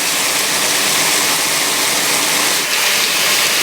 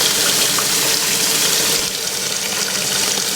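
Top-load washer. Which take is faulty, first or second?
second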